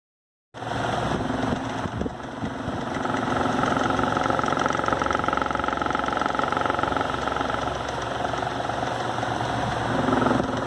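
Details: Arno Versátile pedestal fan rattling with a coarse, tractor-like rumble and walking/vibrating on its own from an out-of-balance blade; shaft bushing wear is accelerated by the shaking.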